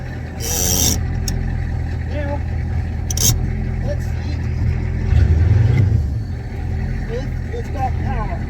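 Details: 1985 Ford F-350, 6.9 IDI diesel, restarted without glow plugs during a high-idle switch install: steady, low clatter and even rumble at normal low idle, no misses or knocks. Healthy.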